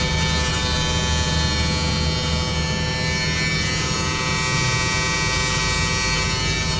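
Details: Bus: steady high buzz with fine tones over a low drone; electrical buzzing noise, cause unclear, was told it's normal.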